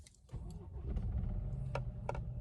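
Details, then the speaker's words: 2013 BMW 320i F34 with N20 engine, reported misfire, at start-up: lumpy, uneven low beat with sharp clicks; engine misfire, suspected leaking high-pressure fuel injectors. "This is lumpy as hell."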